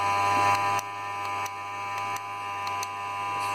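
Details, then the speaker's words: 2016 Toyota Yaris hybrid, about 23,000 miles at purchase, in Ready mode with the engine hot after a trip: a steady, tight electrical buzz, low hum and light clicks with vibration near the air-con compressor, which gives no cold air; the clutch can't be seen engaging. "an start to hear, there's a very strange buzzing sound coming from the engine."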